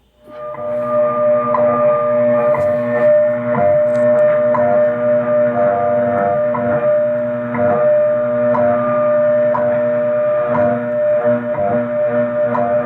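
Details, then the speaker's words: Heathkit IB-1101 being aligned against WWV: a steady whistle around 600 Hz with slow pulsing beats that shift as it is detuned and then brought toward zero beat. "okay listen close i'm going to take it out of tune then get it as close as i can to beating um to to be being beated and then i'm gonna beat"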